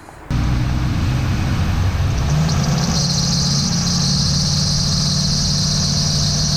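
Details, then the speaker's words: Post-1999 Ford E450 chassis RV engine at 2100 RPM: steady high squeal over rough fluttering belt noise; serpentine belt hits a resonant frequency, vibrates and bumps the engine block, leaving black marks. "so as you saw when the engine hits 2100 RPM this belt it hits a resonant frequency it starts shaking around it vibrates and actually bumps into the engine"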